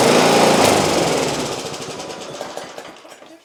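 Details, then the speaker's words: Neglected Masport Briggs & Stratton 4-stroke mower with a broken front axle, good compression, three primes, half throttle: catches first pull and runs with a quick, even popping beat, no knocks or misfires; healthy. "well folks we have got a running Briggs and Straton engine you saw it there folks that actually started first pull and I've never started this"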